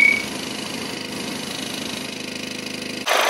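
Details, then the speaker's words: BMW 118d F20 diesel after repair, welding of the broken DPF bracket and cracked exhaust neck: even, steady idle clatter with no rattle or vibration, then a burst of hiss at the end; engine back to normal. "저 시동 한번 걸어서 엔진으로 한번 들어볼게요 어봐 지금은 엔진이 완전 정상으로 돌아왔어요"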